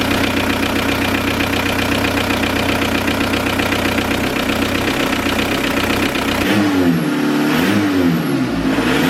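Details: VW TDI diesel in a Toyota pickup, after diesel purge of injection pump and injectors: steady diesel clatter settling to an even idle, no misses or knocks; normal idle.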